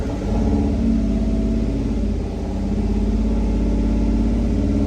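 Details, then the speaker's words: 2014 Dodge Dart 2.4L MultiAir after installing a used junkyard MultiAir brick, held at wide open throttle to keep it running: uneven droning with an irregular, lumpy beat; rough running, and the owner doubts the used brick. "on the floor. Wide open throttle. It is running, but running like crap."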